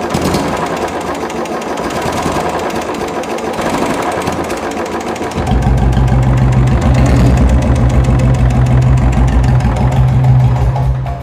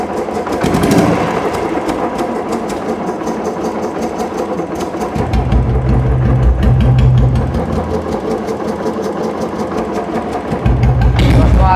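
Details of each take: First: Royal Enfield Bullet single-cylinder engine at idle, noisy engine complaint; sharp even tapping about three times a second over the idle, attributed to the decompressor pin holding the valve open. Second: Royal Enfield Bullet after an engine-noise repair, starting fine. Even, slow single-cylinder idle thump, about three beats a second, with no tapping or knock; the earlier loud engine noise is gone and it runs quietly.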